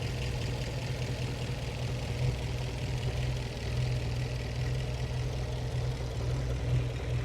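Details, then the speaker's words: 1915 Scripps-Booth Vitesse V8 race car, about 100 miles on the rebuilt engine, after setting the Zenith updraft two-barrel idle mixture with a CO meter: a lower, smooth, refined idle, no misfires, a little throttle; normal idle. "that that's a really nice idle for this old of a race car and if I give it a little gas sounds great it's just more refined now it is it's very smooth"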